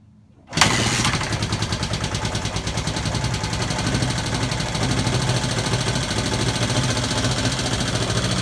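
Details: 1971 Honda CB/CL350 catching and running fast with a light rapid tick over the firing. The owner also suspects a sticking throttle; the source of the tick is unclear.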